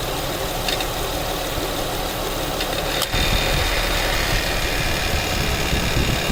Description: My 2008 Acura TL 3.2L is at around 105k and this noise started appearing whenever I'd start the car, it's coming from the passenger side near the serpentine belt and kicks in whenever the AC fan kicks on.